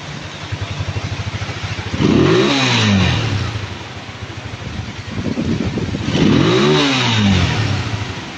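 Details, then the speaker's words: Honda TMX155 after repair with new base, side and cylinder gaskets: two quick throttle blips climb and fall cleanly, revving freely with no knock or rattle; sounds like new. "Pakinggan niyo po yung tunog ha Oh base gasket ha side gasket cylinder gasket ha quality oh Revolution boss Yun oh parang bago oh boss"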